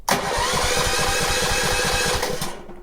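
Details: Subaru EA190V small engine, electric start on battery, cold engine at 34°F outside, switch at warm. A short crank, then it catches and chugs evenly before shutoff. Normal electric start.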